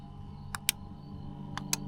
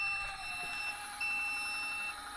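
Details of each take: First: Camper van elevator bed lift: two pairs of crisp relay clicks against a faint hum, no motor whir; relay switches when button pressed but lift motors don't turn despite power. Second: Tec Vans elevator bed in camper van, test run after levelling via the top straps: sharp high beeps about once a second over a faint motor hum while the bed travels to near the ceiling; normal operation.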